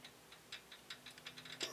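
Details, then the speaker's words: Protomaker Black Sprint 3D printer Z-axis carriage rocked side to side by hand: faint, irregular light clicks from very loose linear bearings on the smooth rod; swapping to LM8LUU bearings only partly cured the wobble. "hear it almost rattling as I move it side to side here."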